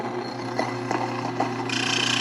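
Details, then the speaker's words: Nutrimill Harvest stone grain mill set at about 7 o'clock for fine flour: a steady motor drone with grain crackling through the stones and a thin high squeak near the end; it is milling normally on fine. "That's about the 7 o'clock position, and whenever I start hearing that squeaky sound, that's what I'm looking for. Now milling, it's going to sound pretty much the same."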